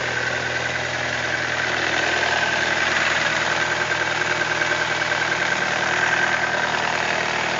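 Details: BMW E46 318i idling with a faint, light rapid ticking over the engine hum; owner hears strange engine noises but the cause is not identified.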